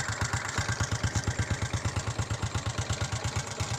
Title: honda xrm 125 knocking sound